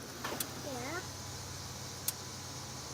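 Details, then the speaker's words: 2005 Honda Pilot with suspected bad transmission, scan-tool actuation test of shift solenoids: two sharp single clicks about two seconds apart over a quiet hush; the solenoid clicks when commanded. "Yeah, I hear that thing. Yeah, I hear the click too. Nice. All right. We're gonna keep working down the list here of the solenoids and see which ones click or don't click."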